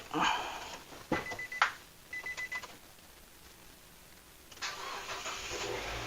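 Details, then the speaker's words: Car with weak battery jump-started from a motorcycle battery via jumper cables: a few clicks and brief cranking whirr, then the engine catches and settles into a steady run; starts normally. "Lancar ya starternya ya. Hanya dengan aki sepeda motor starternya jadi lancar, bisa gitu."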